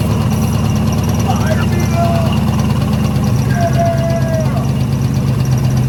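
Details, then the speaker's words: Long-dormant 1972 Ford F100 (sat for decades, engine previously locked up), first start after finding the key: low, lumpy idle that sags and wavers as if about to stall; owner suspects a small vacuum leak. "Now that the key's on, it runs. It idles. It doesn't run. Idles. Got a little vacuum leak somewhere still."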